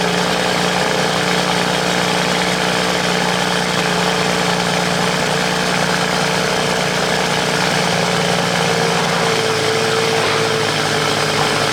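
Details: BMW cold start idle after sitting a few days in a damp, freshly washed garage: even, steady low-drone idle with no misses, knocks or ticks; moisture in the exhaust, not a gasket leak; normal cold start idle.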